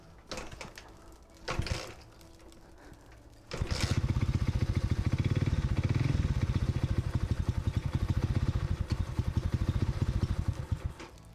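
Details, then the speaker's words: Alpha moped (childhood bike, under 8-month restoration), after a loose part was found untightened: catches after a few seconds and chugs at one rough, even idle that never picks up; engine not responding to throttle, owner blames the carburetor, cause unconfirmed. "I actually give it gas, and it literally doesn't respond at all."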